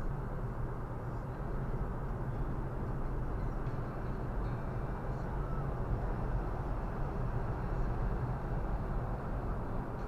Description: Annoying rasping vibration noise on Viofo A119 V3.